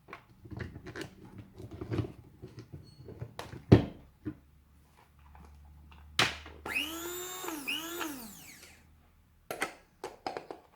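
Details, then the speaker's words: Tefal Optiblend 1000 W hand blender set, first test with power button held down: handling clicks, then about two seconds of high motor whine that rises, dips briefly and recovers; somewhat noisy, but normal running. "Bu 1000vat olan model biraz ses çıkartıyor açıkçası Bu gördüğünüz gibi bu şekilde bir ses çıkartıyor"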